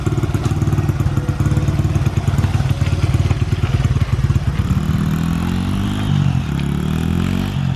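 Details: Honda XR100 after further carburetor tuning the next day: small single runs with even firing and picks up cleanly on throttle; carburetor now tuned, running good.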